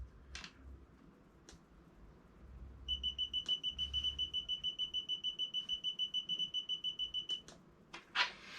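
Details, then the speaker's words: Digital laser measurer taking a reading. A rapid, steady high-pitched beeping runs for about four seconds; it is the low-battery warning. "the reason it's beeping by the way in case you can hear it is just because it's telling me the batter is low"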